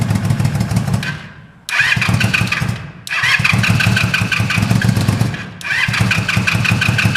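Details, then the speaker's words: Yamaha G1 golf cart fitted with Honda street bike engine, running without mufflers, may need a little choke: loud raspy open exhaust revving hard in bursts with brief dips, firing crisp and even; runs fine. "sounds pretty good. It does. Fuck the mufflers."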